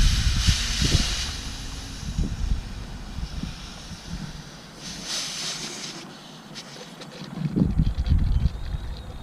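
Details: 2007 6.0 Powerstroke diesel, stock turbo, 4-inch straight pipe: sharp hiss bursts over low idle rumble as air escapes at the coolant degas bottle cap, bottle low on coolant; blown head gasket.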